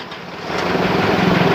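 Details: Isuzu D-Max diesel that was stalling while driving, after replacing the fuel rail and rail pressure sensor: catches about half a second in and settles into a steady, even clatter with no stumble and no engine warning light; starts and idles normally.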